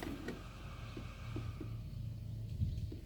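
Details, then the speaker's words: Cheap 60 L 12 V DC RV fridge running on a lab supply at about 13.6 V, 2.1 A: quiet, steady low hum with faint ticks as refrigerant circulates; the small compressor barely vibrates and runs smoothly, cooling well. "little compressor that hardly even vibrates. Yeah, you can only hear the refrigeration circulate. You can hardly even hear it vibrate, which is perfect, really nice and quiet."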